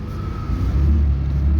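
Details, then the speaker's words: 2013 Ram 3500 6.7L Cummins after fixing fan clutch that was locked up all the time: driving off at 112 coolant temp, low steady diesel drone rising gently with no loud fan roar over it; normal running. "coolant temp. There, now we can drive this thing around without it sounding like a jet taking off."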